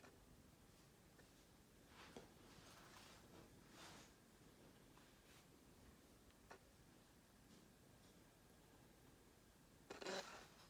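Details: Fujifilm XF 16mm f/1.4 aimed at a no-contrast area to force hunting through the focus range: short raspy buzzing whirs in a quiet room. Autofocus otherwise works; owner is unsure whether the lens is defective. Focus motor buzzing.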